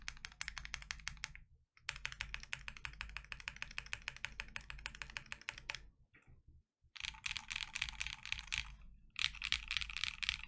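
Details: Freebird60 with gummy O-ring mount, POM plate, silicone dampener and polyfil, lubed KNC Keys Tofu Linear (R2) all-nylon long-pole switches: full typing test, quick bursts of soft, fairly deep clacks, no scratch or ping. Normal mechanical keyboard typing.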